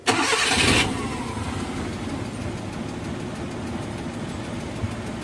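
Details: Suzuki F6A engine that misfired, backfired, wouldn't idle and was hard to start, after valve clearance adjustment, new spark plugs and flushing oil: short crank catches quickly into a steady, even idle without misses or backfires; repaired.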